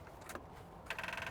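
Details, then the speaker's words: 2007 Ford Ranger that sat about six months: on a start attempt a fast chatter of clicks, roughly twenty a second, with no cranking; the starter solenoid is chattering on a flat battery. "you can hear the clicking."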